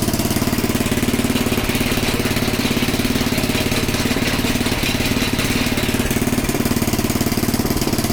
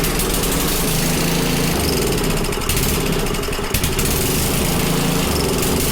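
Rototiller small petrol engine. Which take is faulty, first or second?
second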